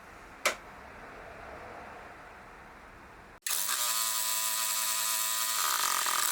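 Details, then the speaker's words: Craftsman LT1000 lawn tractor with a freshly swapped replacement engine, first start, on choke: click as fuel solenoid works, then fires right up and runs evenly, idle set slightly low then tweaked, runs fine. "nice doesn't run too bad fired right up"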